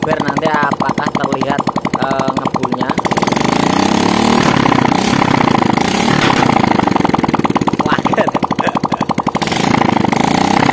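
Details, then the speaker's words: Engine idling with exhaust removed after teardown rebuild, checked for lingering white smoke and oil leaks; loud crisp even open-pipe popping at steady idle, no misses; engine runs fine. "ya ya gini kenalpotnya sudah kita lepas untuk mempercepat durasi videonya ya"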